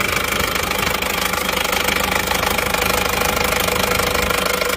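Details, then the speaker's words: Isuzu Panther LS automatic diesel, 4th engine failure in 7 months, morning run. RPM raised to stop it stalling, oil filler cap opened, smoke already showing. Harsh steady knock about 2.5 per second with heavy breathing. "ini bus-busnya tidak konsisten ya jadi seperti ada satu kali satu kali itu ya tidak rata terus"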